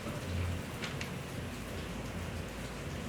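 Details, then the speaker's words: Clogged refrigerator (mampet) with the system charged to about 40–60 PSI, then unplugged 3 minutes and restarted: a soft steady hiss and gurgle in the evaporator means the refrigerant flows normally and the clog is cleared. "Fap ini bunyi ini berarti mampetnya sudah sembuh guys"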